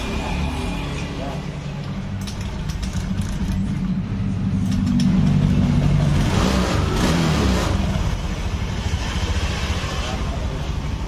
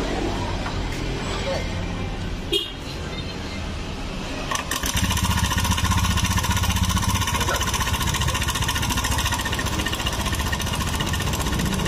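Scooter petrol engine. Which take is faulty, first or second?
second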